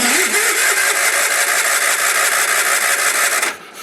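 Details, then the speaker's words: Early-1980s Sears Craftsman FF20 garden tractor that had not run since 2009, with a damaged ignition-switch wire: about three seconds of even starter whirring with no firing; crank-no-start. "All I have to do is squeeze this trigger. Just the wire from the ignition switch is a little screwed up. And let's watch the nothing happen."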